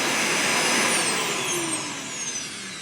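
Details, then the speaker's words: Hart DC1000 canister vacuum, secondhand unit, first start-up after refitting the pleated filter: loud harsh hiss with a high whine sliding down as the motor slows; probably a blown bearing, with a burnt-electrical smell. Suspected, not confirmed. "oh, yeah. It has probably blown a bearing. Ooh, the smell of burnt electricals and whatever else also kind of permeates."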